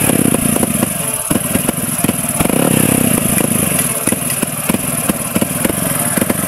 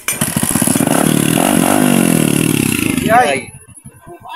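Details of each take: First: Motorcycle that stopped running, after water-contaminated fuel was drained and a leak fixed: loud single-cylinder running with an uneven, stumbling beat and irregular popping gaps, a misfire suspected to come from the CDI, which is being swapped to test. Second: Single-cylinder motorcycle that was misfiring, running after swapping to a different CDI: catches and runs with a steady, even putter of about three beats a second before shutting down; sounds healthy.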